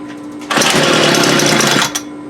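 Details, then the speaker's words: Homelite UT33650A 26cc string trimmer with aged, cracking fuel lines: a steady idle, then a rough blaring rev that sags back; it bogs and dies on throttle, with a carburetor or air-fuel mixture problem suspected; engine bogs on throttle. "so we definitely we have a carburetor issue I don't had my hand on the throttle so it was killing"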